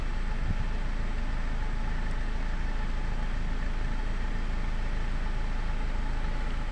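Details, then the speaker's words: Nissan X-Trail T30 petrol engine after repair: steady, even low idle hum with no knocking (previously knocked when hot, burned oil, blew white smoke, lacked power and idled unevenly); smoke gone. "ya suaranya juga sudah halus ya teman-teman tidak ada suara tuk tuk tuk tu tuk seperti kemarin"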